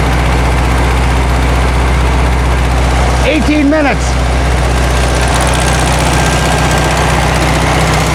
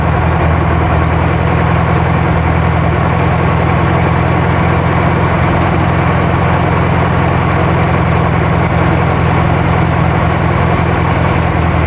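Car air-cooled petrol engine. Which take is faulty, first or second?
first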